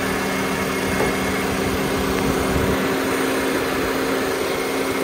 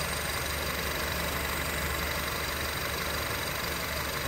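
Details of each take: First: 2007 Honda Civic (8th gen), engine idling with the AC switched off. A steady idle carries a constant mechanical hum that stays on, and the air still blows cold. The AC compressor clutch is suspected stuck engaged, with the relay to be checked. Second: 2007 Honda Civic (8th gen) after climate control unit swap, AC turned off: even idle with steady background hum, compressor dropped out as it should; fault of compressor always on believed fixed.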